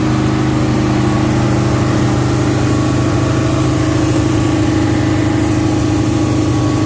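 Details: 1971 Alfa Romeo 1750 GTV with manual transmission, engine cold: a steady, smooth idle with an even low hum and no misses sits a bit fast; the idle dropped over time and may need adjustment.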